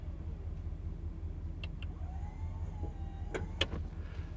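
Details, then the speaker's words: 1972 Imperial LeBaron, about 13,000 miles, all original; power antenna switch operated: faint motor whine rising in pitch about a second, then stops with a couple clicks as mast extends: normal power antenna operation. "Then you've got the map light switch here, and then you have the power antenna switch."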